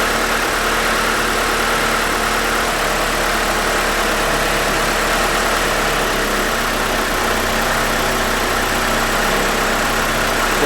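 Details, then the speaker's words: 1992 Mitsubishi Galant VR-4 after idle bypass screw adjustment, grounds removed; steady even idle just under or around 1000 rpm, no hunting or surging, slightly fast, normal idle. "all right with the grounds off you can see we're just under a thousand rpm or Rid around a thousand that's good enough for now"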